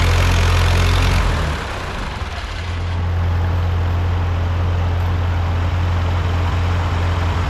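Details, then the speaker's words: Ford 8N tractor four-cylinder on its first start after a full rebuild, run off a jumper pack because the battery was dying. Low, even, steady idle with no knocks or misses; the rebuilt engine sounds healthy at normal idle. "Sounds good. Yeah. No, it sounds really good."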